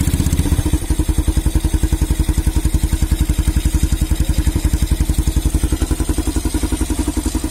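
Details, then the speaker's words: Honda CB Twister that choked and surged at full throttle, after tightening the carburetor air mixture screw for a richer mix: even, steady low thumping near four beats a second, no stumble or surge; firing now even. "फिर इधर आप देख सकते हैं आपको ये जो firing का प्रॉब्लम भी था वो लगभग दूर हो चुका है। ये बराबर फायरिंग कर रहा है।"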